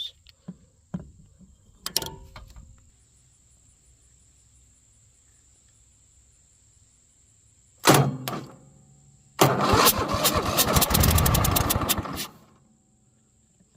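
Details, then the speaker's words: Cub Cadet LTX 1050 mower with intermittent no-crank, no-lights fault, battery freshly charged, starter tested during diagnosis; later traced to broken red/white wire at key switch connector. Short starter whirr, engine fires about three seconds then dies: starter normal. "so I know my starter is okay but I need to check my solenoid"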